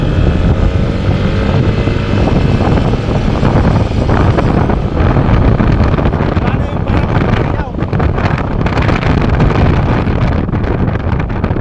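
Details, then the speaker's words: Yamaha NMAX scooter road test after replacing the primary driving gear and bearing: riding through traffic with heavy wind rush, no whine rising as speed builds past 20 kph, where a loud transmission noise previously appeared; the noise is gone. "Bale ang pinalitan lang natin dito mga boss yung primary driving gear niya tsaka yung bearing. Yun lang yung pinalitan natin dito. All goods na. Wala na yung ingay."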